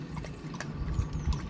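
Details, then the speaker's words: Eberspächer hydronic heater in a camper, refitted and relocated with a new pump after airlock problems, heard outside: steady low burner rumble with light pump hum, no stumbling; runs normally and delivers hot water. "Right, so the Eberspacher seems to be working okay. I've definitely got hot water coming through."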